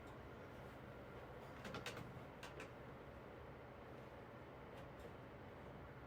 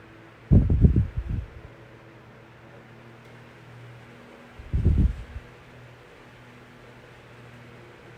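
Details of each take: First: 9-inch Galaxy fan with amber blades, replacement running: a steady, low hum under soft airflow with no knocking. The motor bearings are dry and need oil, and the motor speeds up and slows down while oscillating. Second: Vintage 1982-83 9-inch Galaxy fan after its motor was oiled. It gives a steady, even low hum and spins freely, though the motor slows slightly when oscillating to one side, less than before oiling.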